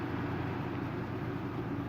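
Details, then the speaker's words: Haier Serenity 6000 BTU window air conditioner (ESA406T, compressor blanket) cooling on medium fan speed: steady, even low hum from compressor and fan, quiet, no knocks, rattles or squeal; normal running. "you can hear it so yeah the compressor got a little bit choir and the fan too"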